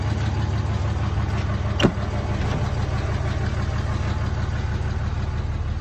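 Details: Replacement short block in a 2003 Cummins 5.9 diesel, a 3500 single-cab dually 6-speed reportedly run out of oil, freshly test-fired: loud, even clatter at steady idle, no stumbles or knocks, one brief click; healthy idle.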